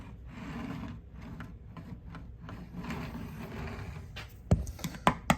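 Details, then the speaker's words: Model railway layout, train rolling over a small high spot: low rumble, then sharp ticks as the wheels cross a raised rail joint. "That was a join in the rail. That's different. There it is again. Can hear it ticking."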